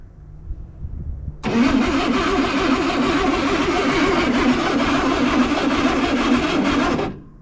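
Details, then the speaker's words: 1961 Chevrolet Corvair at its first start attempt via starter button: steady cranking about three and a half beats a second, spinning freely with no cough; cranks but won't start, ignition suspected off, no spark. "no coughing or nothing huh yeah no cough no nothing turns over free yeah that's good clearly"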